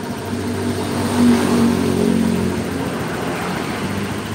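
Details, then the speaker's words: Honda Beat scooter during TPS check and throttle body cleaning: engine revs and drops with uneven wet sputter, injector delivering too much fuel, over-rich mixture. "Jadi suaranya brebet brebet brebet brebet brebet aslinya ini."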